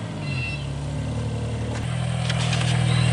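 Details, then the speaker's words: 2001 Toyota Corolla running with a rough, pulsing low exhaust drone at about four beats a second; failed emissions, O2 sensors replaced, and the poorly fitted replacement catalytic converter turned out worse than the original bad one, so a different converter is to be fitted. "that's the Corolla and you can hear it it didn't sound very good"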